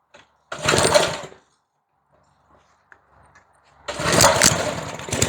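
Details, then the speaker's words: Older edger small engine with a McLane carburetor, after replacing the carb diaphragm and swapping a non-resistor spark plug for a resistor plug to cure a slight miss. A short burst, then a crisp, even beat with no misses: normal running. "spark plug and that did it. She sounds a whole lot better. now."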